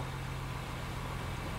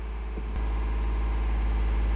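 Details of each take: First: 2016 Honda Pilot 3.5 V6 after fixing DTC P2652 rocker arm oil pressure switch fault (rough running, high idle) and clearing codes: smooth steady idle and clean revs, no misses or knocks. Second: 2016 Honda Pilot 3.5L with DTC P2652 (rocker arm oil pressure switch) and the check engine light on: the idle is higher than normal and creeps up by itself without throttle.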